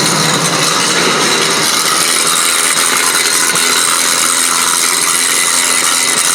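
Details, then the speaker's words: Ford Expedition with no 4x4 engagement, vacuum-operated integrated wheel end front axle, moving off the brake: loud, fast, gritty ratcheting chatter, a few clicks a second, from the right front hub assembly not fully engaging. "okay definitely houston we have a problem so that noise was definitely alarming and indicates that something's going on the right front hub assembly"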